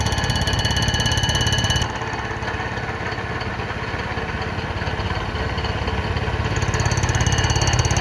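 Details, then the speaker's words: Cutter on a light-duty surfacer decking a flood-damaged Honda K series block during a pinned deck conversion: steady hard hammering about 3.5 hits a second over the spindle hum from the interrupted cut, so passes are kept light to avoid breaking an insert. "this machine I keep on the light duty side obviously and it's fairly aggressive with that [Applause] hammering so I just don't want to break an insert or shoot an insert off or something like that"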